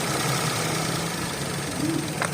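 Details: 2011 Toyota Vitz after repair of a P0303 cylinder 3 misfire caused by a broken fuel injector pulse wire: the petrol engine idles with a steady, even hum, no skipping or knock.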